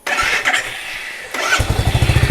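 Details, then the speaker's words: Royal Enfield Meteor 350 single after oil change to Motul 5100 15W50 semi-synthetic, replacing genuine oil: starter whirr, then even steady idle thump without tappet tapping; engine noise reduced and smoother after about 20 km. "देख सकते हो sound तो काफी अच्छे से engine oil काम कर रहे है और काफी अच्छा है"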